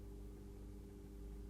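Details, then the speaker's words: Atlas C420 model locomotive, new and not yet run in: steady, even motor hum at medium speed with no surging or stutter, running smoothly; it is coggy at low speed. "At this speed, it's certainly smooth."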